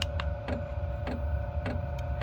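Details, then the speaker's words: Cheap Chinese diesel heater for a shed, sitting on concrete with aluminium sheet underneath, just ignited: crisp regular fuel-pump ticks about twice a second over a low steady rumble as the burner lights; normal operation. "so that's the fuel pump see there it's actually ignited I don't know if you can hear it but I can hear it that it's burning now"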